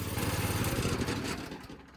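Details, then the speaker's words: Go-kart small engine running with new chain: loud fast rattle that sags as the kart creeps; idle too high, idle screw seems stuck, centrifugal clutch engages when it shouldn't. "so it's loud as hell but I'm noticing something is as it's running the clutch is"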